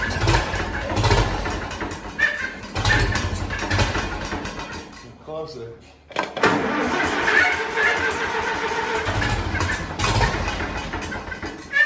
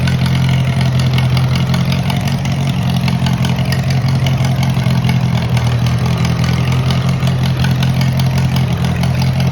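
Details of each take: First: Tractor started after sitting over a year, timing believed off and governor possibly sticky; engine surges and sags irregularly, nearly cutting out then picking up, running rough; owner suspects a fuel flow problem. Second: Moline model BF tractor started on choke after sitting over a year, battery dead earlier: steady low-pitched running with firm speed, no knocks or misses; normal idle.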